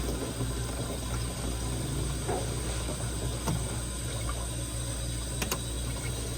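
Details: 1963 Chrysler Newport on a 2,400-mile road trip after overheating, engine off while refilling water: steady rushing steam hiss with no engine rhythm; owner had suspected seized water pump but it turns freely; cause unconfirmed.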